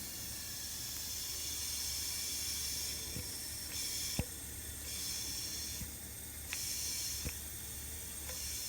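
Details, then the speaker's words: 1953 Pontiac Chieftain, leak-down test on cylinder 1 at top dead centre, engine not running, heard at the crankcase ventilation: steady strong hiss of escaping air, nothing at the radiator, a massive leak; blow-by past the piston rings. "So it's like a very massive leak, and I will show you. You will actually hear it if I move the camera all the way to this ventilation."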